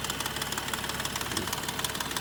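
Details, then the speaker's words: BMW M235i idling on a sunny 52°F day: a sharp, fast, even top-end tick of about eight per second that grows louder as it runs, louder than on the owner's earlier BMWs; the cause is not yet found. "ticking noise is just crazy loud it feels like especially when you're next to like a house or something like that it's just so loud"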